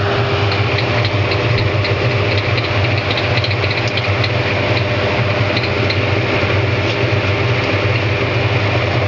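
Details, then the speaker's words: Given-away Hoover 200M washing machine on a dry run: the drain pump gives a steady, even low motor hum. The pressure-switch lockout keeps the pump energized while water remains; foreign objects were later found in the pump feeder. "these things have a lockout with that pressure switch so that if it's still got water in it it'll just keep the pump energized"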